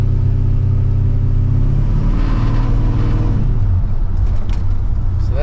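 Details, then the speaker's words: 1985 Chevrolet C10 V8 driving after ignition timing adjustment: deep even rumble pulling smoothly through revs, no stumble; earlier shake and missing feel gone, idle a little higher; vacuum gauge reading still couldn't be improved. "feels good I mean it's definitely improved again it doesn't have that shake doesn't have that feeling like it's missing"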